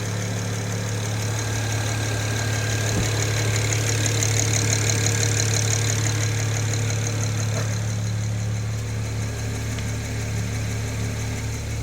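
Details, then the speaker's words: BMW N54 petrol engine idling: steady, even tick about four times a second over the low hum. Owner unsure of the cause, also calls it knocking. "как слышно вот это тиканье? Что это вот такое вот может быть, а?"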